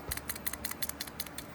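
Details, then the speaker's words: Nibbi PE carburetor on a CT70 clone, reassembled after cleaning, shaken by hand: quick light clicks about six a second as the float taps freely in the bowl; float not stuck, carb ready to refit. "If you don't hear the float bouncing around in there, then you got a problem."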